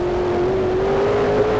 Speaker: let's take a look at this run right from the start truck hooks good sounds